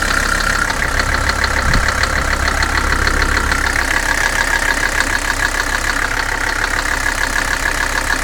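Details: Mercedes 300SD diesel idling with a hard, regular knock about three times a second over the clatter; owner believes the bottom end, bad bearings suspected, linked to neglected oil leaks.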